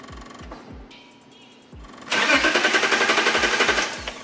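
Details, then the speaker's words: 2003 BMW E39 530i, MS43 DME: steady relay clicking, then starter churns rhythmically without catching; intermittent crank no start from loss of DME constant power, faulty or water-damaged DME. "And now it's happening again. So try to crank it over now. You can keep going."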